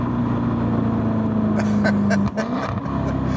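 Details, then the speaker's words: 2017 Jaguar F-Type SVR, supercharged V8 with stock full titanium exhaust: steady V8 drone, then lifting and downshifting brings sharp crackles and pops, which are normal for this stock exhaust. "They got that grunt, and this thing with that full titanium exhaust has such a ridiculous noise."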